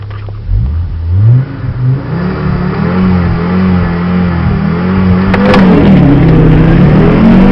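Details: Audi S4, recorded inside the car: long uneven crank at about four pulses a second before the engine stumbles and catches, revs rising; hard start, cause not evident.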